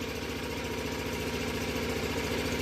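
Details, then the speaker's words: Onan RV generator running during a power outage to charge devices, after only an oil check, a 12-volt supply and a fuel supply: an even, steady low thrum with a regular pulse and no knocks or hunting. Normal running. "But yeah, all I had to do, this is a nice unit, always fires up."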